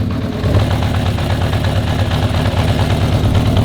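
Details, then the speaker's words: 1982 Honda CB750F four-cylinder at idle, one cylinder not running (found by spit test on exhaust pipes; plug or cap suspected): low, slightly uneven idle with irregular lope instead of a smooth beat. "And one of the cylinders wasn't running. So therefore there's a little trick you can do to check if it's the spark plug or the cap that sits on top of the spark plug."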